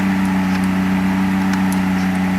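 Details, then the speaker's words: 1994 Mercedes 600SL V12 running with the repaired throttle actuators connected but without a proper air supply. A fast, steady, even hum with no hunting; idle is high from the missing air supply, but no ASR light comes on. "now computer does not see throttle being bad but of course there is no proper air supply so therefore Idol is high but you see no ASR light"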